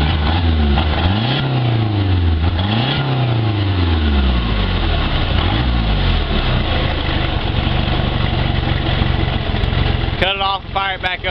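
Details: Boat engine that had been filled and run on diesel instead of gasoline, after flushing the complete fuel system: revs up and down, then settles into a steady even run with no misfire; running normally.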